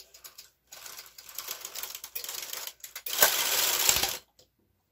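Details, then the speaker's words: KH260 knitting machine carriage loading waste yarn at tension 4: rattly mechanical clatter swelling into a harsh, strained rasp near the end of the pass; it sounds labouring and "not happy" but still works, cause unknown. "can hear that it's not happy. Doesn't have to be happy, it just has to work."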